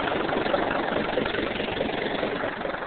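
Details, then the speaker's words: Second diesel tractor after a frosty morning cold start: steady, even idle with a soft regular chug and no knocks or misses; sounds better than the John, possibly more cylinders. "Sounds better than John to me. Little bit better of a sound. Probably has a different engine like more."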